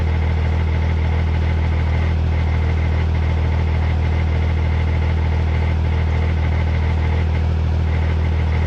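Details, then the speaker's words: Cummins diesel drag truck after its first track trip: a steady idle carries a fast, regular clattery rattle like marbles inside the transmission, and the truck won't roll backwards. Cause suspected, not confirmed. "All right, well, it sounds like it has marbles in it. That's not good."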